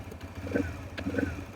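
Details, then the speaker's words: TVS Raider BS6 single with a missing problem, idling with fuel pressure near 50, judged fine: uneven, hunting idle with irregular dropped beats and surges, and it later dies when revved. "अभी भी stroke कम ज़्यादा unstable है, और stroke अभी भी stable नहीं हुआ।"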